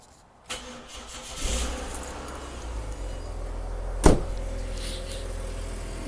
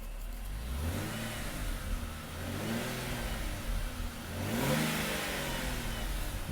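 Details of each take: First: Ford Territory, cold start first thing in the morning, before repair: engine cranks, catches and settles to a steady idle with a raspy, droning exhaust note from a cracked resonator, later replaced with a straight pipe. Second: Ford Territory after cracked exhaust resonator was replaced with a straight-through pipe: revs rise and fall cleanly through several blips, even, smooth exhaust note with no rasp, rattle or drone.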